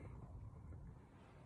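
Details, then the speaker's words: Cadillac Northstar idling rough and shaking; low, uneven rumble with an irregular beat and the check engine light on. The cylinder 8 misfire was traced with a scan tool to a bad ignition coil, which was replaced. "it's iding kind of shaking I already knew that's a misfire"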